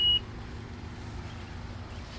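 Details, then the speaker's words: 2018 Honda Odyssey power sliding door during pre-purchase inspection: short high beep then low even motor hum as the door closes smoothly; power closure works normally. "Power closure works."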